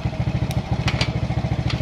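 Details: Suzuki Smash motorcycle, charging about 13.6 V: quick, even putter with a steady low thump and a few light handling clicks; idling normally.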